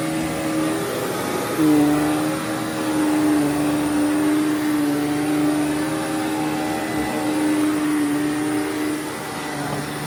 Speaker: yep definitely a lot better than it was before because the bearing was so screwed up it did a lot of grinding and wearing and all that kind of stuff